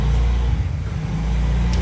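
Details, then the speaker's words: Yamaha All New NMAX 155 VVA starting after the SGCU-to-stator wiring was corrected, fixing its check engine light and hard starting. It catches cleanly and settles into an even low hum with no stumbling, heaviness or starter-only clicking. "Oke ini aman ya dokter tidak ada nyendat-nyendat lagi tidak ada susah tidak ada berat tidak ada stater yang hanya bunyi ter saja seperti itu"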